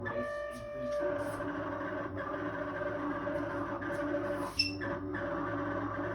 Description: This how the fridge usually sounds when malfunctioning.